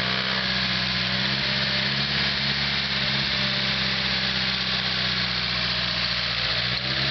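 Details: SR20DET engine from a 1998 S14 after 30–40 minutes hard driving with the rear valve cover hose off: steady idle with a light, fast tick and bright hiss on top; lifter tick suspected, cause unknown.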